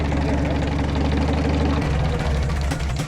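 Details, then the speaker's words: Farmall tractor idling: light, uneven clicking over a low thump. Governor weights are so worn that one hits the arm at idle. "But do you hear that? Clicking? So those governor weights in there are so wore out that it's actually here."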